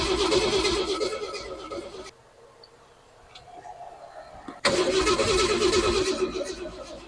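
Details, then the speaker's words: 1963½ Ford Falcon Futura, off the road 18 years: starter turns the engine over steadily, about three beats a second, pauses, cranks again without firing; crank no-start, spark not yet checked, coil showing 14 volts. "I don't even know if we're getting spark um that's probably something we should check"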